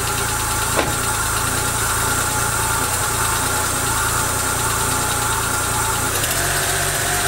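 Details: Daewoo Matiz engine running like a lawnmower, towed in and barely starting, with heavy exhaust smoke: uneven, lumpy idle whose beat wanders and stumbles, shifting near the end; rough running misfire, cause undiagnosed.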